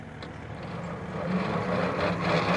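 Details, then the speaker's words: 1940 Minneapolis-Moline RTU tractor, started in third gear with the cut-off switch set correctly: steady low drone under load, building slightly as it pulls, no misfire or knock; normal running. "That's how easy it starts with the uh with the cut off switch in the right position."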